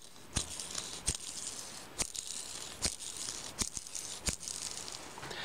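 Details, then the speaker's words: Oiled 60202 ball bearing removed from a drill-press electric motor, spun by hand: a gritty, hissing rattle with sharp clicks; an oiled bearing shouldn't rattle, so the raceways are damaged and it needs replacement. "Змазаний підшипник ніколи не должен гриміти. Промитий підшипник і змазаний ніколи не гримить. А гримить він тільки, якщо у ньому є побиті бігові дорожки."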